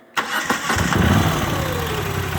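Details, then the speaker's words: Moto Guzzi V85TT after dealer warranty repair of a transmission shipped with 70cc instead of 700cc oil: engine starts cleanly and idles evenly with no enclosed dry clutch rattle, unlike the earlier rattling before the transmission failed. "so as you can see there's not that rattling with the dry clutch that you can hear with that other video so it clearly had an issue with the clutch before the transmission failed"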